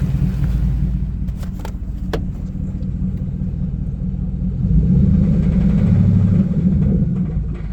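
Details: 2010 Ford F150 4.6 2V V8: low rumble with rough rattly edge building on throttle; loudest on cold start, slight at idle, mostly gone when warm; owner suspects cylinder 3 piston slap/wrist pin or torque converter, unconfirmed.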